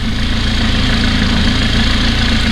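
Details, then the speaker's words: 2018 McLaren 570S V8 with check-engine light idling with uneven lumpy pulse: misfire, intake camshaft bank 2 offset codes from faulty cam phasers, fixed by phaser replacement. "Of course, the engine light is on, and engine little bit working rough, right?"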